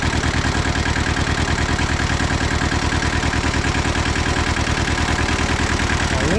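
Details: Old Hinomoto diesel tractor started after sitting about two to three years, glow plugs and starter jumpered, needs radiator; steady even clatter at fast idle, about three pulses a second, no misses or knocks; normal diesel idle.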